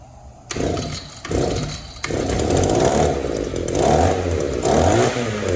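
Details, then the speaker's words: Echo two-stroke trimmer, with crankcase, cylinder and fuel filter checked good, after idle and mixture adjustment: repeated blips from idle that hesitate and sag before catching; the carburetor is running lean and bogs between idle and wide-open throttle. "You can tell even after adjustment, you know, the carburetor is not very responsive. It wants to bog a little bit between idle and wide open throttle. The carburetor is running lean."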